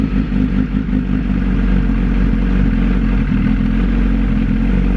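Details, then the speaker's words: 2008 Suzuki Hayabusa, about 18,000 miles, after clutch-area repair: steady, even idle with a smooth low rumble, no longer the metal-on-metal grinding from the clutch heard before; engine sounds healthy. "so that sounds a lot better i don't hear the grinding or the [Music] metal on metal that i heard before so that's awesome sounds great"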